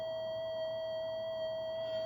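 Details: Minelab GP Extreme gold detector after repair of burnt board and MOSFET replacement, switched from deep to normal mode, threshold set perhaps a bit high: steady clean high tone, no wavering or crackle; normal stable threshold.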